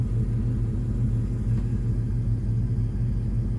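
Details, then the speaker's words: Ford Mustang with straight pipes and no catalytic converters (check engine light on), harmonic balancer reportedly shaking off; deep even idle rumble, steady low beat, no misses or knocks; oil and battery normal; idling healthy. "But yeah, everything's running good."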